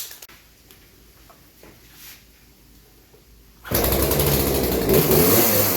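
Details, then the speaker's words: Craftsman 18-inch 40cc chainsaw that bogs under load and won't wind out, before carb adjustment; quiet, then a high raspy rev that won't climb further; lean high-speed mixture, fixed with about three-quarters turn clockwise on the high-speed jet. "that's that's as high as this is gonna go right now just because it needs that adjusted"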